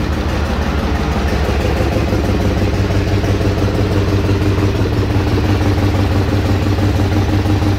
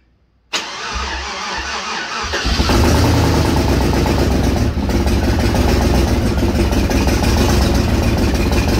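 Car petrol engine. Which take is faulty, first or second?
second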